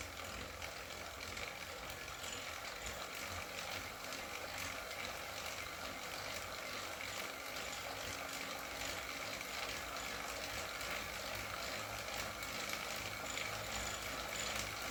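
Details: Wahoo KICKR CORE trainer with Zwift Ride, on a rocker plate, pedalled slowly: light, irregular clicks at two or three a second over a soft hum. Intermittent clicking; reportedly a known issue, and the unit was replaced.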